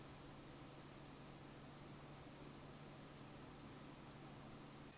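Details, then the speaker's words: SilverStone PS10 budget mid-tower case with acoustic dampening side panels, stock cooling of a single 120mm fan: only a faint steady low hum and soft hiss, no ticking or rattle; fan running quietly and normally. "Now let's have a listen to the stock cooling, remembering that they only include one 120mm fan, but you can install many more optional fans, and I would certainly recommend at least installing another 120mm fan at the back of the case."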